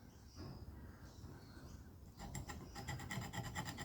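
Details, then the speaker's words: Electric chainsaw chain grinder being set up: light, even rasping about twice a second as the grinding wheel just rubs the tooth; correct contact, a good starting position. "You can hear that rubbing. So in that position, that is a good starting position."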